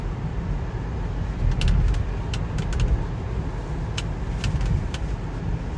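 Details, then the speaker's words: 2017 BMW X3 driving in cold, snowy weather. Sharp, irregular interior creaks and ticks over road rumble, likely a loose panel or trim. Owner's quick fix was stuffing something in behind the glovebox flap. "you hear that hear that creaking yep that's crazy listen to"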